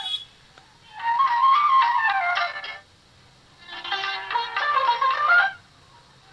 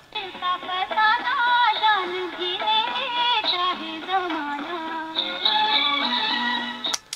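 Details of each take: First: Philips DR454 2-in-1 tape recorder, cassette playback: flute music swells then drops almost to silence twice in six seconds; audio fading in and out because the cassette was kept near a speaker magnet, damaging the tape. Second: देखा दोस्तों कितना सुरीला चल रहा है हमारा tape recorder केसेसट।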